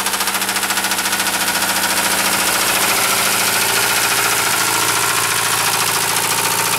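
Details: Mercedes 220D diesel run low on engine oil: heavy steady knock about three to four times a second over diesel clatter, rod knock before the engine blows up.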